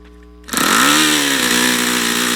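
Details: YS FZ63 glow engine on a test stand, first run, 22% nitro 18% oil fuel, OS F plug: fires and revs climb, then sag and hold a mid pitch, never reaching full throttle; owner suspects debris in the fuel regulator.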